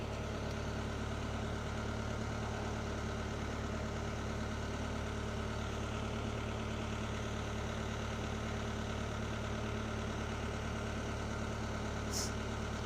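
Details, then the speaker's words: Marine diesel, not run in a while, idling on fresh-water flush before shutdown, oil pressure a little over 50 psi; steady even idle with a smooth low thrum and no knocks or misses, normal idle. "Yeah, it's running a little over 50 pounds per square inch on the oil pressure, so that's good. Everything looks good."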